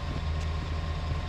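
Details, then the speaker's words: John Deere 326D skid steer, first runs after broken-crank engine repair and a year sitting, fuel lines checked after smoke: steady, even diesel idle with low regular thrum, no knocks or misses, running well. "it runs it runs well that's good at least"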